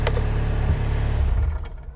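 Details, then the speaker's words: Mustang machine's diesel clatters steadily, then revs fall away and it dies within a second the moment a switch is flipped; electrical cut-out, owner suspects one of the micro switches and is shorting them with wire to find it. "it cuts out all you think it's one of these one of these switches in here so i just gotta work out which one"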